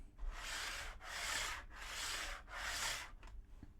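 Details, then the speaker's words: TT120 model railway, wagon rolled back and forth with no downward pressure on track stuck to foam tape underlay: four loud hissing, rumbling passes; adhesion of track to foam amplifies the rolling noise. "still quite loud that eliminated that out the window it the noise has returned and it's simply the track being stuck to the surface of the phone"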